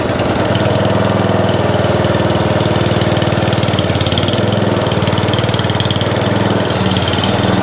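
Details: Atco Balmoral mower bought as spares or repair for not starting, pull-started on throttle: the single-cylinder engine catches and settles into a steady, even putter of about four beats a second, running cleanly; the drive still does not work.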